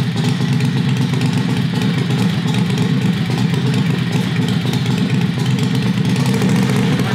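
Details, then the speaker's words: Predator 670cc V-twin vintage dragster go-kart with a newly made conduit header, no hanger yet. A loud, deep note with a loose, uneven clatter from the unsupported exhaust rattling; it needs a hanger. "the exhaust is rattling a bit we're gonna have to make a type of a hanger or something for it"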